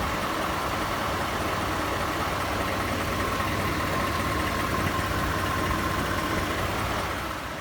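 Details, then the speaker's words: Ford F-150 5.0 V8 at idle, also has deceleration flutter and burns oil: steady idle with a fast, light diesel-like tick about four per second; cause unknown, reportedly considered normal, truck being taken to Ford. "sounds like it's a diesel man definitely sounds like it's some sort of diesel with that ticking sound like that but apparently it's normal"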